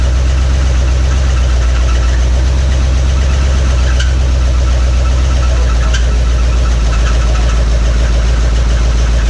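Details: 1961 Mercury Meteor engine, first start in decades after an ignition overhaul, running on carburetor cleaner. Rough idle with a rapid metallic knocking and no oil pressure; the oil pump shaft under the distributor was found broken.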